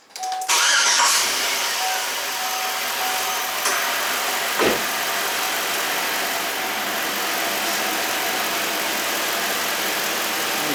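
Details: 2003 Chevy Suburban 5.3 V8 with random misfire (P0300) and power loss, later blamed on bad MAF sensor and head gasket: quick crank catches almost at once into a steady, even idle while fuel pump current is checked.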